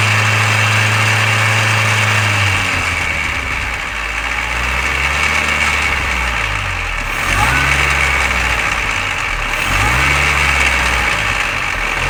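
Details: Mini Cooper R53 engine after replacing timing chain tensioner, timing chain guides and PCV valve: idle with busy rattling clatter and several short blips, rattle carrying through each rev; source still undetermined.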